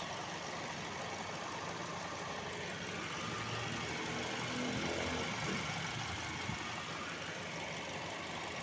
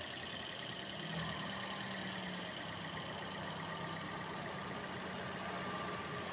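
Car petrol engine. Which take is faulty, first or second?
first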